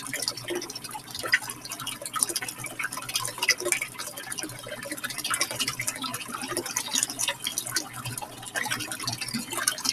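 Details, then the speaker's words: Drummond 63319 utility pump, after clearing clay from impeller and reinstalling: steady splashing water with even pump hum, no clogging or surging; normal pump flow. "Ta-da! Listen to that. That's fantastic."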